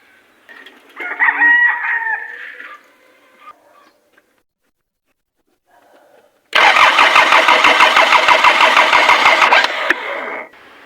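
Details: Mitsubishi Pajero 4M40 diesel, morning cold start after new glow plugs, nozzle tips and fuel filter for a hard-starting fix. A rooster crows, then even rapid chuffs; the engine catches on one click, a clean start.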